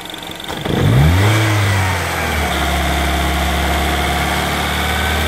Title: R56 timing chain noise after replacement